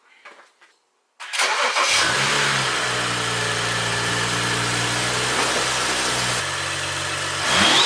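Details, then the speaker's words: 2011 BMW E92/E93 N55, first startup after installing a Burger Motorsports bolt-on intake: clean crank and quick catch, then a smooth, even idle settling lower with no rattles or hunting; normal cold start and idle. "Holy shit, that sounded fucking sick!"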